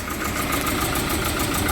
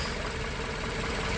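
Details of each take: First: Volvo 740 red-block that was cutting out, just after fitting a spare used ignition module: runs lumpy and uneven with surging low rumble and irregular stumbles; misfiring, running poorly; new module and cambelt to follow, cause unconfirmed. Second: Volvo 740 with new cambelt and ignition module, warm while idle and timing are set: a steady, even low hum with no misses or knocks at just under 1,000 rpm before cutting off; a normal idle.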